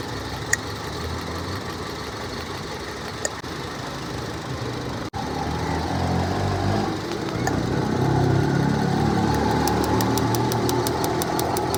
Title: How to Check Ignition Coil Misfire? Engine Shaking Problem Fix 🔥 #ytshorts #trendingshorts